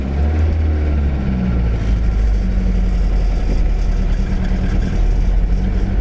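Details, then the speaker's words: 1977 Toyota Celica GT liftback, revived after about 20 years parked, pulling away under way: low, even engine drone with steady firing, no misses, knocks or rattles; runs smooth and healthy. "We'll see if we can drive this thing out of the old Pump City over here. Oh yeah. Oh, she is purring."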